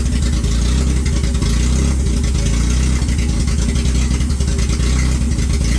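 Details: 1995 Honda Civic EJ1, first start of a freshly swapped engine replacing one with rod knock: low, steady petrol idle with an even throb and no sharp knocking.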